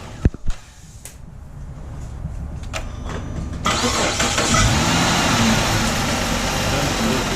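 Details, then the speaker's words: 2007 Chrysler 300 3.5 L V6 with good battery and charging, on a cold morning: slow labouring cranking at about three and a half beats a second before it fires; starter dragging, later replaced. "Yeah, you can hear it drag a little bit. Try it one more time. It's starting real slow, guys."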